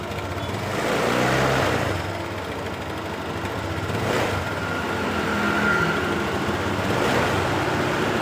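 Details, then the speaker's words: Honda Beat LED Deluxe that was stalling with DTC code 7, after clearing the code; EOT sensor socket suspected loose: engine idles and picks up cleanly through gentle revs with no sputter or cutting out; normal idle and rev. "Oke, sudah normal."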